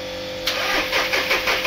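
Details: VW Polo 1.2 with rebuilt engine, just started: cranks, catches, then idles with a sharp, uneven, rhythmic clatter; mechanic suspects the cylinder-one injector nozzle and plans to change it. Abnormal engine noise at start.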